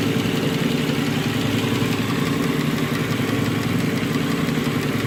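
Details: Nissan Murano with code P0303, cylinder 3 misfire (rear bank), checked by relative compression with a scope, without removing the intake manifold: uneven, lumpy idle with one cylinder dropping out. Dead cylinder from low compression.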